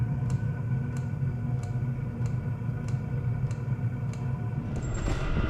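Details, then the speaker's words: Diesel heater being converted to burn waste motor oil, starting on diesel: steady sharp fuel pump ticks about every 0.6 seconds over a low fan drone as the heater starts; normal pumping. "When I hear the fuel pump start clicking, I'm going to turn this valve on and drip some diesel in."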